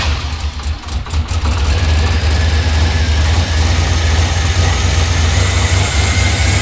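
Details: 5.3 LS L33 turbo engine in an S10, first start with new NGK plugs: deep, even rumble settling into a steady idle after the start, with no obvious knocks or misses.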